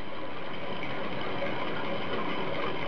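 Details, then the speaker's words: Toilet tank refilling after flushing, with a new fill valve and supply shut-off valve: a steady, smooth rushing hiss with no thumps or pipe knocking. No water hammer after the repair. "boom, boom, boom, boom. Alright, no water hammer."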